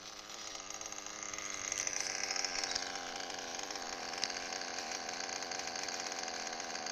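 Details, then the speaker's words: O.S. Speed B21 Adam Drake nitro engine with new J&T ceramic bearings, a 6.5 mm venturi and a J21 carb: thin, high, buzzy idle sitting slightly slow; idle speed too low, then raised. "Let it idle for 30 seconds. My idle might be a little bit low yet."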